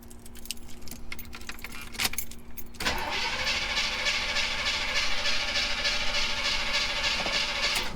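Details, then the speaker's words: 1980 El Camino, carbureted before an EFI swap, that had been running well then suddenly quit: keys jingle, starter grinds steadily about three turns a second for five seconds, engine never catches; crank no start, cause not identified. "As you can hear, it don't want to start. It was running amazing."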